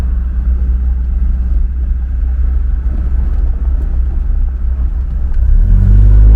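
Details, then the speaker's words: Mercedes 240D diesel pulling away from standstill after fuel injector repair and valve lash adjustment, previously clanking and smoking: smooth deep rumble building revs evenly, no clanking, only road and tyre noise; no smoke; normal running. "now yeah this sounds really really nice now there's no clanking whatsoever there's not not not any smoke coming out"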